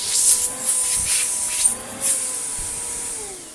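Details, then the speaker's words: Vax Power Nano UCNBAWP1 upright vacuum after unclogging and cleaning out its airway, reassembled to check airflow: steady rushing air, constant motor hum and a few handling bumps; pulls freely, airflow improved, normal running. "good it could breathe more as well that sounded like the four things opening its mouth for the first time in ages"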